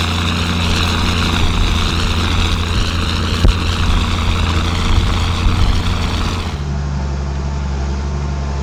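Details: Ford TW diesel tractor ploughing on a windy day: deep, steady drone pulling hard with an even beat and no knocks or misses; engine running well under load.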